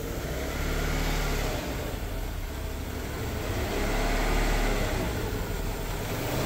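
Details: Abandoned Renault Duster 2.0 automatic, alcohol fuel, first start with a makeshift single-injector fuel hookup and radiator leaking: smooth, even engine note rising and falling with throttle, no knocks or rattles; engine revs freely and runs healthy.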